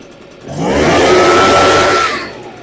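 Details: Echo PB580T leaf blower two-stroke, rebuilt after seized engine, started with choke and fresh fuel, idling before warm-up: steady even buzz with clean high note, smooth and strong; normal idle.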